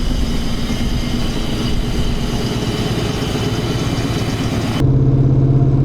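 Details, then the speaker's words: Pontiac Fiero-based Ferrari F40 replica kit car on a road trip under throttle; earlier backfire blew out the resonator, leaving a hole on the driver side of the engine; loud hollow rushing exhaust roar, air puffing out: exhaust leak. "Well, it blew our resonator out. And so, on the whatever, driver side, typically, of the engine, um, we've got a hole."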